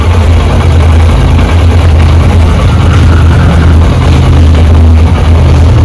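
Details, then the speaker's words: Honda SP125 BS6 single-cylinder motorcycle, previously noisy (rocker sound), after intake and exhaust tappet adjustment. Smooth, even idle with a soft, steady beat and no top-end ticking or clatter: the sound is now sweet, healthy. "आप लोग को भी sound check कराते कैसा सुन सकते sound कितना मीठा हो गया"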